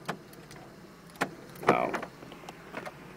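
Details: Mercedes R129 500SL front roof latch after loosening the latch plate, centering it on the pin and retightening: short hydraulic whirr ending in a firm clunk and light clicks as the latch closes and locks cleanly; misalignment would strain the hydraulic latches and cause seal leaks.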